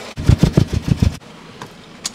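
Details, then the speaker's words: Engine deliberately made to misfire by disabling cylinder number one: lumpy, uneven low thumping and vibration, running on only three cylinders, for about a second before shutdown; check air intake leaks, spark and fuel. "so as you can see the engine is vibrating it's actually running on only three cylinders right now"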